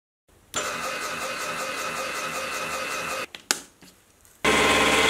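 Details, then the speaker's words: Small milling machine of about 100 kg, before column stiffening plate, 2 mm width of cut in steel; steady cut turns harsh and buzzy with rattling chatter, limited by the flexible column frame rather than the motor. "well that was a two millimeter width of cut and steel and you could probably hear that it was starting to sound pretty rough by the end I can tell that there is a lot more to come out of the motor but at this point I can tell it's being limited by the frame of the machine"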